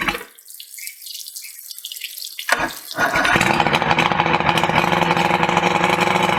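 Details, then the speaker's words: 1988 Evinrude 88SPL outboard after carburetor rebuild, cables and cams adjusted, timing mechanism cleaned and greased: starts about three seconds in and settles into a steady even idle over splashing water; runs good, timing still to be set under load on water. "but uh yeah fire's right up it's running good so a little more tweaking and it should be all set"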